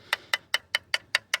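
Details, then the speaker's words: Coin tap test on a used carbon bicycle frame near the bottom bracket, toward the centre: crisp, bright, ringing taps with no dull note. The carbon laminate is thinner toward the centre but sounds sound; normal. "Вообще, простукивая раму, мы видим, что к центру у нас идет, ну, тоньше слой карбона."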